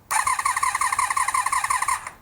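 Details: 1982–83 Honda V45 Sabre café racer, choke off: quick, even starter whirr pulsing about twelve times per second for two seconds without catching; crank no start, later traced to fuel not reaching the carbs.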